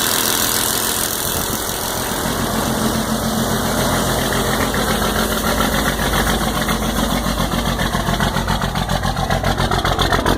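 Diesel idling with a fairly steady tick, roughly two or three a second, over the clatter; cause not pinned down.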